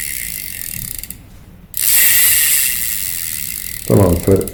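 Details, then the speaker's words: Daiwa 1000X fishing reel, after repair of grinding noise (loose cross-wind block screw hitting gear): even mechanical whirring with light regular clicking as handle turns, no grinding; grinding gone, normal reel rotation. "فرق كبير جدا الصوت اختفى اختفى اختفى وجت تلف بشكل ممتاز وجاهزه للصيد"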